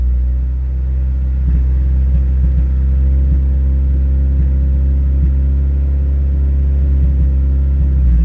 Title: damn car has a misfire now... ughhhh now i have to rip it apart n diagnose this damn thing